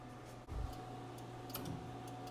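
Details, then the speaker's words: 1961 Cadillac DeVille, passenger-side turn signal after repairing a broken wire: quiet ticks roughly twice a second over low electrical hum; normal flasher ticking. "Got the blinker working on the passenger side. It was just a broken wire down here on the back of it."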